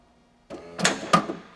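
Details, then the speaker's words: 2004 Lexus LS430 Ultra with water damage; key placed inside trunk so interior oscillator detects it and trunk opens; short motor whir and two firm clunks as latch releases; trunk latch release working. "it actually works and the reason for that is they put a kind of a low level oscillator inside in case you forget your keys in the trunk you can actually still open the trunk even if the car is locked"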